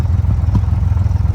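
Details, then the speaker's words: Honda Goldwing after carburetor synchronizing, vacuum gauges matched and idle screw adjusted; steady, even low idle with soft regular exhaust pulses and no more popping. Normal idle. "we were actually able to figure out what the bike actually needed. As you can hear, it's not popping anymore."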